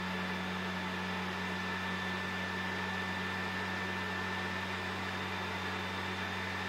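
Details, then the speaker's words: Sony PS4 Pro CUH-7016B before cleaning, entering a multiplayer menu: loud, steady, jet-like airy roar with low hum, about 60 dB; fan racing from dust-clogged heatsink and dried thermal paste, about 35 dB after cleaning and repasting. "now as soon as you enter the multiplayer menu the fan starts spinning super fast reaching up to 60 decibel it almost sounds like a jet engine listen"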